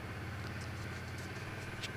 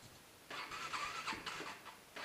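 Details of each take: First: Cold motorcycle, about minus 12 °C in the garage, with a history of hard starting and cutting out while riding: it has just started and idles evenly and steadily with a low rumble, no misses or knocks, left to warm up. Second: Motorcycle cold start at about -15° in an uninsulated garage: two long, wavering cranking bursts before it catches and runs rough. Bike has also been cutting out while riding. Owner suspects a weak battery, not confirmed. Hard starting in cold weather.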